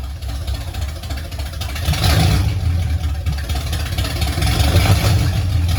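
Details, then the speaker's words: 1969 Pontiac GTO barn find, first start in 17 years, Quick Fuel 750cfm carb, TH400: steady throaty V8 idle with light throttle blips, even and firing on all cylinders; runs well, though an oil leak near the booster was noted. "y'all heard it it runs it actually sounds like it runs pretty good"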